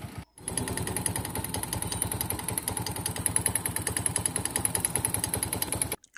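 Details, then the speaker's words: Bajaj Vikrant single-cylinder, about 63,000–70,000 km, white smoke after engine fitting, some crankshaft play: loose uneven clatter about three beats a second at idle; worn piston rings, piston found very wet with oil. "Idol condition में इसका आवाज़ आप सुना दोस्तों, तो आप इसके बारी है दोस्तों इसका पिस्टन की हालत की।"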